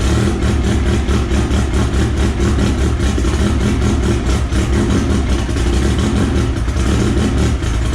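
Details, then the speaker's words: Engine idle of the AWD EG hatch on an M&W Pro Drag 4 ignition, after fixing the missing ECU ground; steady, even smooth low drone with no misses, knocks or ticks: normal idle. "So I'll go ahead and get this started for you guys so you guys can hear what it sounds like. Sounds awesome."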